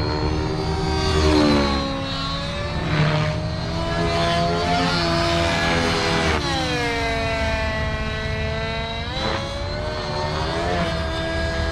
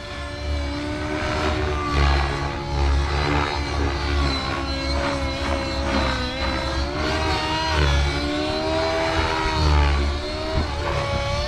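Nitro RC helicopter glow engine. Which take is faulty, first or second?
second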